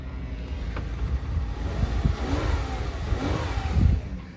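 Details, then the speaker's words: 2011 Toyota Avalon 3.5 with 256,000 miles, weak battery: a smooth low engine note rises and falls cleanly with throttle blips, with no knocks or misses. Healthy engine. "Man, sounds real good. Man, these 3.5s are just so freaking hard to beat, man. You know it? They're just such good motors."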